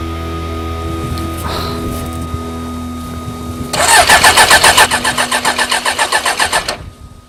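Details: Suzuki GSX 600 motorcycle project after fitting a new switch: fast rhythmic cranking at about four beats a second for three seconds, then stops without catching; won't fire. Cause suspected, not confirmed.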